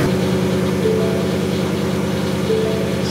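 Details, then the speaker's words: Supercharged 2019 Ford Mustang GT V8 cold start after a P0300 random multiple-cylinder misfire code set during a race: uneven, loping idle with a light rattle riding over it, left to warm up; source of rattle unknown, cause unconfirmed. "there's a weird rattle coming out of the car too so I let the car warm up and see what it does"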